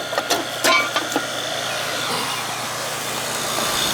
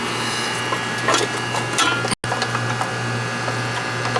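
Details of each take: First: Ruud first-floor AC condenser, compressor just restarted after replacing a bad capacitor and the blown-off compressor common wire: a few clicks, then a steady even hiss and hum, no knocking or stalling; lines cold and sweating, charge fine; normal compressor running. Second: Ruud AC outdoor unit after new 50 capacitor fitted: steady low hum and fan whoosh with no compressor pickup; compressor fails to start, hot start kit considered, cause unconfirmed.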